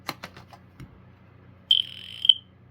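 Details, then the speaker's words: BRK 1200 smoke alarm test with batteries: half-second shrill loud beep then brief stuttered chirp as test button is released; alarm works but release behaviour is odd, cause unknown. "It's pretty loud. That's weird. It's suffering some weird thing when I let go of the button. I don't know what that's about, but it does work."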